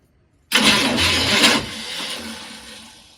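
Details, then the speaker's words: Chevy squarebody truck being jump-started from another battery: a brief strained whir rises and fades with no catch or firing, slightly better than before; weak crank, starter still not engaging. "It actually sounds a little bit better at first. Slightly. Starter's still not engaging."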